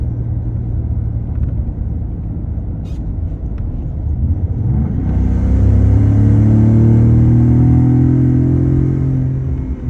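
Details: Ford Raptor Gen2, which earlier had a loud air rush and power loss, now hums or grinds while accelerating: a deep cabin rumble swells into a rising hum with a faint high hiss.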